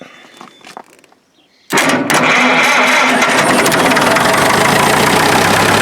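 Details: 1947 Farmall MD, back together after work, started outdoors with the ignition and starter switches bypassed. Brief cranking, catches near two seconds, then settles into a steady, even run with no misses. Healthy, normal running.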